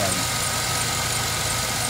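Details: GMC Yukon/Tahoe V8 after fixing P0300/P0307 cylinder 7 misfire (intake manifold removed, cylinder 7 lifter issue): smooth, even idle with a steady beat, no stumble or tick; normal idle.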